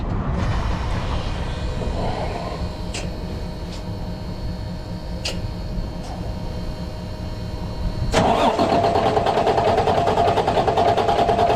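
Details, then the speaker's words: Freightliner heavy-duty diesel truck broken down in a turn lane with a no-start: about eight seconds of long even cranking, aided by starting fluid, before it fires and rumbles up; it lost fuel prime. "all right all right i'll be back hang on all right this thing's going to be a pain in the ass to get primed"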